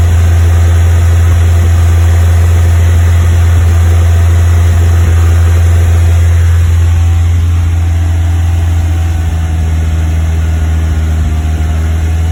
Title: Westfield Misfire 2500rpm